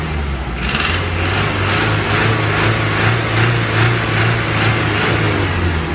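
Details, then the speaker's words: Mazda Skyactiv diesel: hard, uneven knock about twice a second over the engine drone at low and medium revs. The dealership suspected rod knock; the owner suspects the injectors, because the ECU cannot carry out injector pilot learning. "so the car is small in and at low and medium revs it has that knock and the dealership thought it's the rod knock but what we think is that is the injectors"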